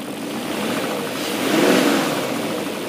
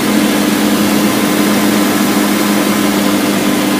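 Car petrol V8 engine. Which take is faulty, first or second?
second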